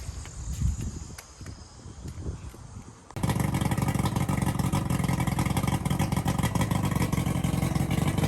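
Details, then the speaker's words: Johnson/Evinrude outboard after lower unit replacement, started and run in forward and reverse: after handling noise the engine catches and runs at a steady fast rumble, no knocks or skips, good water stream, no vibration; healthy. "I put it in forward and it engaged in gear and spun real good. I put it reverse, same thing, no vibration."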